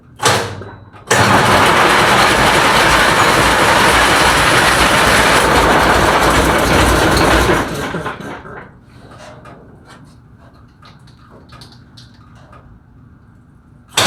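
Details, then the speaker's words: International DT466 diesel in a 1966 Ford F250 project, first cold start after priming the fuel system: short crank, catches hard, runs strong and settles to a steady idle with no knocks; oil pressure unchecked, owner believes fine. "but anyways you see it running it runs really good uh don't know about oil pressure or anything like that i haven't hooked the gauge up to it um i'm pretty sure it's fine i don't hear any um knocks or anything"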